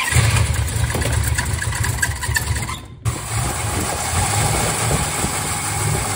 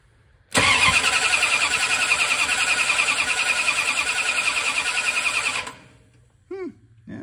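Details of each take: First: 1967 Dodge Charger with a newly rebuilt 383 big block V8 and aluminum heads, ignition timing eyeballed and possibly late: lumpy, uneven idle with stumbles and a brief near-stall; misfiring, and the cam timing is off. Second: 1967 Dodge Charger 383 big block V8 cranking after the adjustable rocker arms were adjusted on one side: about five seconds of steady, even cranking with no uneven compression strokes; it sounds more even than before.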